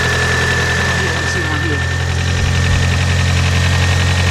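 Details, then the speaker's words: 1991 Toyota Corolla 1.6 after timing belt, cam and crank seal and valve cover gasket replacement: steady even idle, low drone, faint belt whine, no tapping, harmonic balancer not vibrating; healthy, minor oil drip. "guys is not even vibrating on anything let me shut this thing off [Music] alright guys that is pertinent that sounded really good except for another drop of oil"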